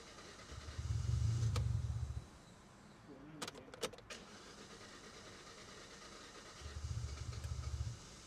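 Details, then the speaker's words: 2016 Hyundai i20 non-runner, cranked at full throttle: two bursts of cranking with ragged low firing that never catches and dies each time; trying hard to run, injectors to be pulled for inspection. "I think you're going have to in out have a look yeah yeah it's trying hard to run isn't it"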